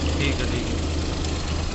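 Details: Suzuki Alto 800 at idle after silencer repair; the loud exhaust noise came from a leaking, folded exhaust pipe. Steady, even idle with a deep smooth exhaust note, no puffing or ticking; exhaust sealed and healthy.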